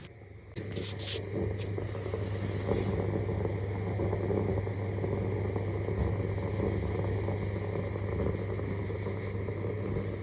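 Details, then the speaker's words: Household main supply conduit with all RCD branches off: steady low mains hum with irregular bubbling crackle like boiling water; no loose connections found, electrician suspects broken insulation and moisture in the main conduit. Gurgling noise in conduit. "现在所有的漏保都没有送电，这个明显是主线的原因，线路也没有虚接的地方，线管里面就是有咕噜咕噜的声音，像是烧水的声音。"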